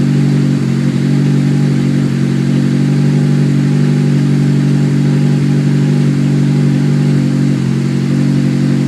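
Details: Honda S2000 on a cold start: fast idle with a steady low drone and a faint irregular tapping; owner asks what the weird noise is, and the source is unidentified.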